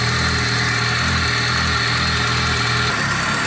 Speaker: посмотрите, что у нас тут! Э-э, тяжелоатлет перестал хлопать.